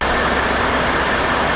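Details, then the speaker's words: 2016 Ford F-150 3.5 V6 after a hydrolocked engine was cleared and the correct starter fitted: steady, smooth idle hum with no ticks, knocks or surging; smoke has gone, runs clean. "So I've been driving it around town, and this thing runs really, really good. I mean, so the smoke went away. It's just sitting here purring like a kitten."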